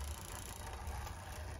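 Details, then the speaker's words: Rebuilt Hornby Class 50 model locomotive chassis running on a decoder: steady motor whir with light clicking from the decoder rubbing the drive shaft, harmless. "now that little clicking noise you can hear is where the decoder is rubbing against the drive shaft so nothing to worry about"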